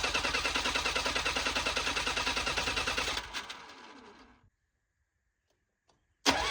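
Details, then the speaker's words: Old Bobcat 743B diesel skid steer from auction cranking fast and evenly, about three beats a second, without firing, then winding down; glow plug relay clicks but owner suspects glow plugs not working. "Yeah, I mean, it's definitely I don't think my glow plugs are working or I I hear the relay clicking for the glow plugs, but I don't it's not it's not firing."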